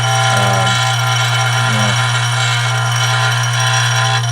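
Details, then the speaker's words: Dillon RF 100 auto primer feeder with too little spring tension and the rheostat cranked up: loud steady electric buzz with rattling chatter as the feeder over-vibrates, primers backing up and jamming at the feeder tube. "This is the problem I was having before, where there wasn't enough tension on the spring, and I'd have to crank the rheostat up, and then I would get the same problem with a backup right here, and"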